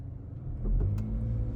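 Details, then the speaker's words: 2024 Mazda CX-50 pulling away from a dead stop: low engine rumble with one sharp click about a second in, only from a standstill; cause unknown, owner wonders about loose wheel or axle, not confirmed. "so my cx50 is making a little bit of an odd click when I come from a dead stop"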